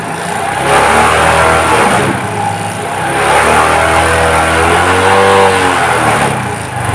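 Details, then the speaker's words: Suzuki Shogun 125 with new spark plug, cleaned carburetor and good battery, jerking at low speed: engine note surges and sags unevenly at light throttle instead of pulling cleanly; cause found to be a missing carburetor needle clip. "ini pada saat pelang jadi ada kayak sendat-sendat teman-teman [Tepuk tangan] tu tuh ya teman-teman suaranya ngayun ya jadi sendat-sendat gitu teman-teman"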